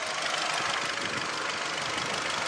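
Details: Hyundai HB20 Premium 2014/2015, automatic, imported Korean engine, about 51,000 km with dealer servicing, heard under the hood: smooth, even hum with no knocks or rattles, a healthy small petrol engine idling normally.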